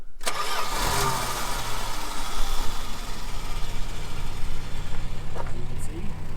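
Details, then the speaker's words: 1979 Plymouth Duster barn find stored in a pole barn for possibly a decade, revived and started: cranks briefly, catches fast and settles into a steady, even low idle with no misses or knocks, exhaust shown. Normal cold start. "starts up pretty good here is a exhaust"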